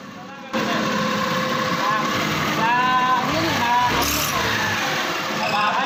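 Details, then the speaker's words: Scooter CVT before repair: short chirpy mouse-like squeaks come and go as it pulls, clutch linings squealing on a glazed clutch bell; the bell is then roughened with 60-grit sandpaper. "So maingay po yung panggilid niya, parang may daga po sa loob."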